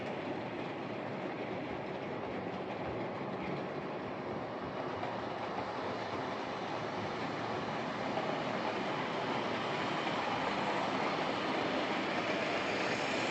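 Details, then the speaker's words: Old Lima Class 31 model locomotive in freight livery after overhaul with an extra pickup added on the front bogie, running on the layout: soft, steady whir with light track clicks, even pitch, no dropouts; normal running. "So there we are, that's this old Lima Class 31 running, and running very nicely. It makes quite a satisfying whir as it runs, and its speed really consistent."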